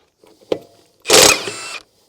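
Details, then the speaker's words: Milwaukee M18 FUEL Gen 3 1/2" high torque impact wrench, 5 Ah battery, bolt removal mode, removing a lug nut: quick sub-second burst of rapid hammering as the nut breaks loose and spins off; working normally, very fast. "wow they just really they say yeah not busting power this thing man that's so fast"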